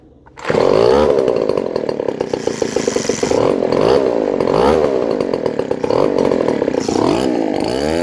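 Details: Leaf blower two-stroke started after gasket and seal replacement: a harsh, very loud, raw buzzing bark at steady revs, because the muffler has a big hole and sounds like there is no muffler. Holed muffler.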